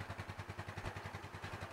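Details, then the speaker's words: Yamaha Mio Sporty scooter after engine reassembly with original carburetor, started on the electric starter: even putter of about ten pulses a second with no hunting or misses; idle now normal. "Putaran mesin saat idle sekarang sudah normal, teman-teman."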